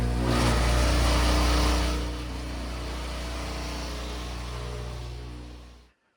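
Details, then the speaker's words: Whirlpool Duet front-load washer, about 10+ years old, on rinse/drain/spin: loud low droning buzz and steady rattle from the drain area, easing when the pump is held down; failing drain pump vibrating. "We can hear that vibration I'm talking about. Pretty loud, isn't it? I'm just holding down on the pump there to keep it from vibrating so bad."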